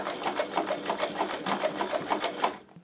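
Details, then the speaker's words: Podolsk sewing machine with a servo motor capped at 500 rpm, quiet enough for an apartment; quick even needle ticking about three per second, no motor hum underneath; normal quiet sewing. "Главное – не забывать выключать двигатель, иначе он будет работать настолько тихо, что вы его даже не услышите."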